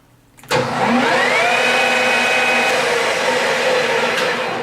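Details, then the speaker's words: Millport 1340 lathe, 220V 3-phase, spindle brought up to high speed 1800 rpm: smooth even hum climbing in pitch then holding steady, no knocks or grinding; healthy headstock. "So as you can hear, it absolutely runs beautiful."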